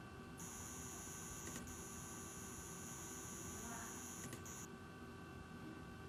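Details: Asus ROG Strix RTX 2080 Ti OC with Ryzen 3950X at idle; thin steady high-pitched buzz stops briefly when opening Chrome tabs loads the GPU, then returns; owner suspects coil whine; idle high-pitched buzz.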